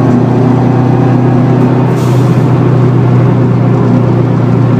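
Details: 2004 Subaru WRX STI at freeway speed: steady low drone under road noise from a failed wheel bearing that worsened through the day. The humming is rear differential whine, amplified by upgraded bushings and mounts.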